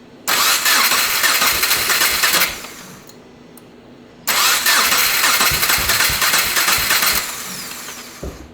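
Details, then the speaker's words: 2.5L-swapped first-generation Subaru Crosstrek, tested with only two cylinders connected: short ragged bursts that fade out. Cylinders 2 and 3 appear weak while 1 and 4 run decent; compression check on 2 and 3 planned. "Yeah, so it seems like it's cylinders 2 and 3 are the guys being a little bit of a bum. 1 and 4 seem to be running decent."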